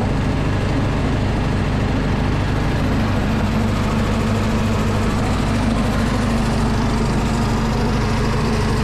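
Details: Predator 212 engine driving a DIY gas air compressor with pilot unloader valve; steady single-cylinder drone whose pitch steps up and settles as air is let out manually, the unloader kicking the throttle up and down; it idles low and can die when it kicks up.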